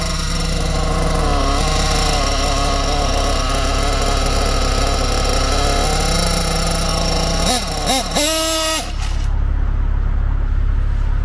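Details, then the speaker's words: Nitro RC engine during carburettor tuning: buzzes high, then stumbles and hesitates on the throttle before dying away. The mixture is too lean, not bogging from richness, and needs richening. "now if it does that sound that's not bugging that's hesitation cuz it's too [Music] length listen carefully that's too lean to be richened"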